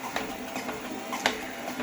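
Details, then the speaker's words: Torneo Inita T-150 treadmill at 4 km/h walking, before repair: short creak on every left-foot step, right foot silent; cause was loose deck screws, squeak stopped after tightening them. "вот я подтянул вот эти вот шурупы и скрипт прекратился"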